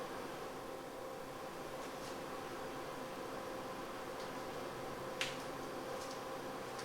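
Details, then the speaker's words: 1990 Mercedes W124 blower motor after removal and lubrication to cure squeaking: smooth steady rush of air, faint even tone, no squeak or rubbing; normal blower operation. "And of course it works magnificently."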